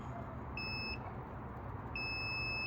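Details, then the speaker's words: 1999 Lexus ES300, multimeter continuity test on the knock sensor harness, second wire to its pin: clean high-pitched beeps, the second longer. Harness has continuity and is good; both knock sensors good. "And we do. So we have verified that the harness has continuity. It is good."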